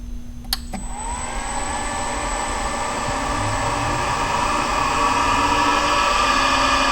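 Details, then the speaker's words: Monarch Merit lathe motor on its new AC drive (VFD), run from the internal controls at 34 Hz. Steady high electrical whine over the motor hum as it comes up to speed; owner attributes the noise to the carrier frequency set at about 8 kHz, not too high. "looks pretty good a little bit of the noise there i don't have that carrier frequency set too high i guess at about 8 kilohertz"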